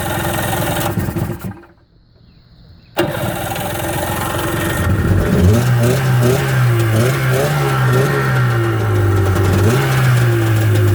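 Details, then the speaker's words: Sea-Doo jet ski after carburetor removal and cleaning and fuel line replacement, choked and started on the button. It cranks, fires and picks up to a strong, steady run with clean rev blips, running out of water. Normal start and running. "up we're running baby woooo W now we're talking sweet we got a running J ski"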